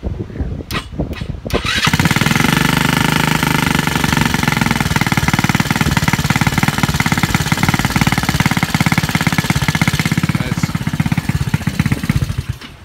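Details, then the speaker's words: Honda Ruckus 180cc GY6 with hard start, carb already cleaned, dark fuel likely water-contaminated from outdoor storage, rusty tank, weak battery: after a couple of cranks it catches, runs unevenly, stumbling and lumpy, then dies; owner blames bad fuel. "not running 100% because I'm sure it has crappy fuel on it"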